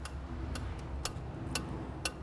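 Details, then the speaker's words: 2002 Renault Master 2.2 dCi, EGR valve put through a cleaning cycle: crisp, even ticks about twice a second over a quiet low hum; the freed EGR valve is now cycling, though not yet confirmed fixed. "there we go can you hear that Java's talks now and I'm still not saying it is fixed"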